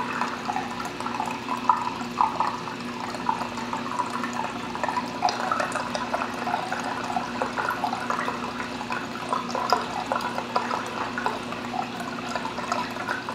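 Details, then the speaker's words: Bean Animal style aquarium overflow just after the return pump starts: steady watery gurgling and bubbling with no motor noise underneath as air is pulled through, before the full siphon kicks in after about 1 to 1.5 minutes. Normal startup gurgle. "You hear the bubbles getting sucked out of that thing back there. And now the level will start dropping."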